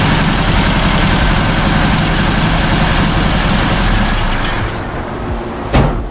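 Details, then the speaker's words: 1967 VW Bus with 1500cc flat-four idling after valve setting, timing, carb adjustment and new distributor, coil and points; steady even low putter with no misses or knocks, running smooth, throttle linkage still needing adjustment. "runs it's nice and smooth um we just have to get that linkage adjusted but i gotta go i got a screaming baby at home"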